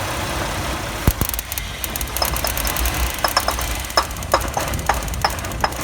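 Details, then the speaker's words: 1997 Chevy Astro van, 4.3 engine, idling after the ignition coil was sprayed with water to test for moisture: idle stumbles with sharp irregular snaps and missed beats about every half second; misfire from coil arcing, would die if given gas. "There you go. Try to leave it running like that. Let's see if she restarts. Like if I gave that gas, it would have just died."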